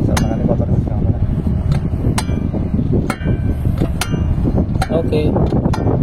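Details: HB365 diesel with EGR-type turbocharger, after repairing turbo that scraped at high idle: steady dense diesel rumble at raised idle with a few sharp clicks, no rubbing or scraping from the turbo; healthy.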